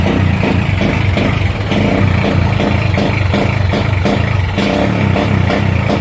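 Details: Motorcycle at idle under heavy electrical load with the headlight on; it cuts out with repeated sharp pops like rapid backfire roughly every half second and won't settle: intermittent misfire.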